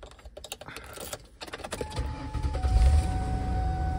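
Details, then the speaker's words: 2000 Mercury Sable: key clicks, short crank, then it catches and settles into a steady even idle with a faint accessory whine. Normal start and idle; car also shifts nicely. "can see it runs perfectly fine it runs great and it and it shifts really nicely"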